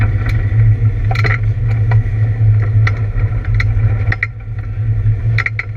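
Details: ABR Camaro running misfire laps on track: deep engine roar stumbling unevenly with ragged dropouts and pops about once a second, an engine misfire.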